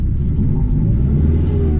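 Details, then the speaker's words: Chrysler TC 16v turbo after swapping back the two center spark plug wires, which had been switched: deep, steady rumble with an even firing beat, no missing or shaking; idles smoothly, though injector cleaner may still be needed. "alright so thanks to a miracle that I will show you right now listen to it it runs perfectly so it turns out that the two inner spark plug wires were switched"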